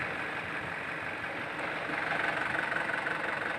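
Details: 2008 Isuzu Panther LS diesel at idle: steady clatter with a fine regular tick about three per second, no knock or miss and no vibration felt; a healthy diesel idle.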